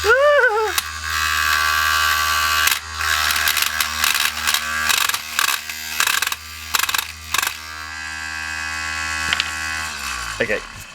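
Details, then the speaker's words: Cheap mini wood lathe sold as a sander: a thin motor whine broken by irregular rattling bursts. The workpiece end isn't gripped adequately and chatters. "I'm hearing a lot of noise, and it's from this. This end isn't gripping adequately."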